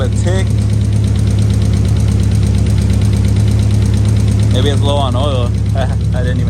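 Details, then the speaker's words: 1990-96 Nissan 300ZX (Z32) idling outside; steady low idle with a light regular tick about three per second, valvetrain-like. Engine otherwise running pretty smooth, no misfire on revving. "even check the oil it'll be running pretty smooth now minus the tick yeah I should probably turn this off real quick and uh check the oil"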